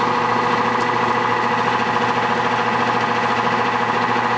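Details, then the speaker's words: Nordyne AC condenser unit with original 2-blade fan, sprayed with water while running: loud droning hum with strong tonal bands and pulsing rattle, more vibration; quiet when dry. Wet blade resonance suspected; fixed by fitting a 3-blade fan. "noise is a lot louder than what you would expect from an air conditioning system. You can hear it all over the yard. It does vibrate more than it did before the noise."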